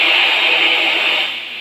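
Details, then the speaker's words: Boss GT-10 effects unit: steady FM-radio-like static noise with nothing played, volume up; repair by replacing the unit's RAM chip. "saat ini ada begitu 10 kasusnya dia keluar noizy suaranya seperti radio FM ini"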